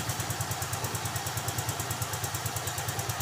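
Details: Yamaha Freego scooter after a smart-key ignition that wouldn't turn was fixed by repairing the existing SCU (no new parts): steady, rapid putter of about nine beats a second, even rhythm, no knocks; healthy idle.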